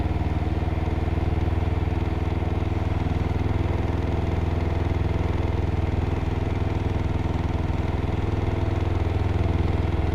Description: 2021 canam ryker 600 having engine knock sound.